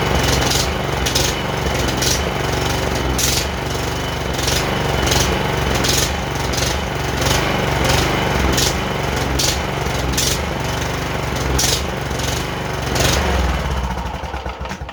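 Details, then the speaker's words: John Deere JX85 commercial walk-behind mower, older, choke partly off: the engine surges with uneven throbbing and wavering speed. Suspected fuel-flow problem with a lean mixture, carburetor to be removed. "since it's kind of surging uh it sounds like a fuel flow problem um being too lean of a mixture you know it's getting gas and it's not getting gas"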